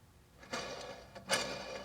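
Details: Range Rover Sport L320 transfer case teardown: gritty, crunchy rattle in uneven bursts as a failed ball bearing with separated spacers, pitted race and lots of play is spun by hand.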